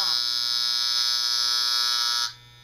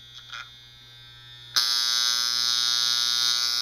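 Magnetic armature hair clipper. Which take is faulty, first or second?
second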